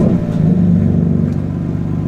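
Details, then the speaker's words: BMW M4 with intermittent misfire, start after new coil packs: catches and settles into a smooth even rumble with no stumbles; not misfiring so far, fix not yet confirmed. "so far, so good. Honestly, so far, so good. Not misfiring, but again, like I said, this is hit or miss, so I really do not know if this is going to fix it."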